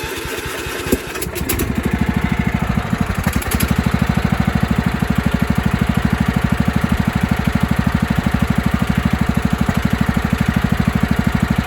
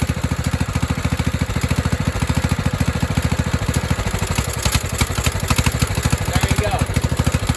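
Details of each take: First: 1997 Craftsman mower, 16 hp Kohler Command single-cylinder, after carb-spray test showing it runs rich: starts and runs steadily and evenly; owner wonders whether a hissing sound, mainly at shutoff, is a head gasket leak or the exhaust. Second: 1997 Craftsman mower, 16 hp Kohler Command single-cylinder running rich, thumps steadily then stumbles after carb spray into the intake; owner also suspects a head gasket leak from hissing.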